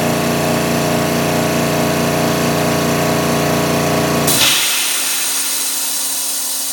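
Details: Air Techniques M5B portable dental dry air compressor with dehydrator, 115 V: strong steady drone with even pumping beat, then motor cuts off at 80 psi into fading hiss as air vents through dryer to regenerate down to 60 psi; healthy cycle.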